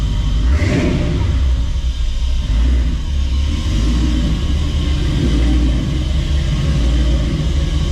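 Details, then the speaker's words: Fully restored show truck V8 at idle, before planned cam and intake changes; deep steady rumble with a tremendously loud jet-like sucking sound from the intake, cause not yet found. "it's the sucking sound from the intake when it's idling is tremendously loud sounds like a jet engine so we need to address that"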